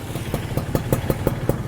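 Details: Used small single-cylinder motorcycle with original carburetor, CDI, ignition and AHM exhaust: crisp, even exhaust pops about five or six a second at a steady idle, no misses or rattles; a healthy idle.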